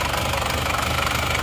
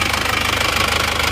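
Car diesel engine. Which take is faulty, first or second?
second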